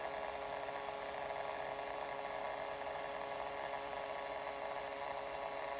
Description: After 9-12 month of use, this model starts producing weird buzz sound in some circumstances. When the system heats up, components on the motherboard start making some kind of electronic interference that affects speakers, so they start making this buzzing noise.